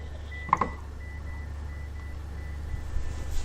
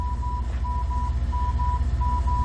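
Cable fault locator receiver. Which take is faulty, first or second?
first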